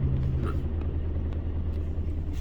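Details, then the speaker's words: 2004 Toyota Tacoma SR5 2.7L idling very shaky with heavy uneven low rumble, engine rocking; cylinder 4 misfire (P0304) per title, recorded from cab. "el motor anda muy tembloroso Te vamos aquí a prenderla Para que vean"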